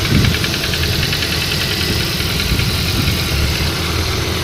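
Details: Nissan CR14DE engine idling on a cool morning: rapid, even metallic clatter from the top end; verdict: worn VVT-i phaser clutch.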